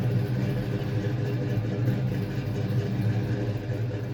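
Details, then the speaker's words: 1992 Fox Mustang V8 after A/C compressor clutch replacement and new tight serpentine belt; steady low smooth idle rumble, no squeal or catching from belt or compressor clutch. Normal idle. "I'm just looking over everything, making sure this new serpentine belt's looking about the right length, the tension is good, and I can see the AC compressor is spinning nice and freely, that clutch is no longer catching like the old one."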